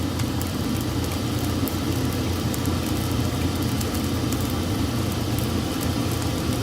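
Steady low rumble and rushing air with a faint crackle of burning coal, even and unchanged throughout; the stoker and blower are running normally.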